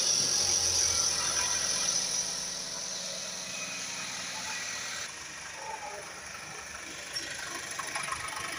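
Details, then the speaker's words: Chevrolet Captiva 2.4 16-valve petrol, 2012, idling: fast, light metallic chatter from the timing chain at about four beats a second; timing chain noise, chains (water pump, balance shafts) then replaced and timed. "Barulho na corrente de comando."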